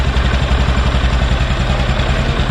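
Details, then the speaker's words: Healthy idle of a 220 motorcycle just after a new cylinder kit install and oil fill, first start: steady, even single-cylinder pulses with no knock, tick or rattle, quiet and silent. "വണ്ടി ഇപ്പം just ഒന്ന് സ്റ്റാർട്ടാക്കാൻ പോവുകയാണ് കേട്ടോ. സ്റ്റാർട്ടാകട്ടോ. ഓക്കെയാണ്, സൈലൻ്റാണ്,"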